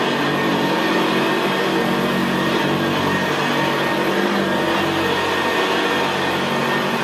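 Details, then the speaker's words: 1975 Hoover Senior Ranger U4002 vintage upright vacuum cleaner in use on carpet: smooth, even, very quiet motor hum with a gravelly brushroll growl, no squeal or knocking; normal healthy running. "well isn't that absolutely beautiful machine to use it's just very very quiet and in very very growl very growling"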